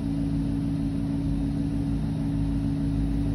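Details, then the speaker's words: Range Rover / Discovery 3-4 air suspension: constant buzzing compressor hum, pump running continuously, pressure low and not building; reservoir suspected rotten and leaking, possible audible leak, making pump work harder. "it'll be leaking which makes the pump work twice as hard and burns around and basically the pump's trying to fill the res one it'll have a hole in it so it's always going to leave"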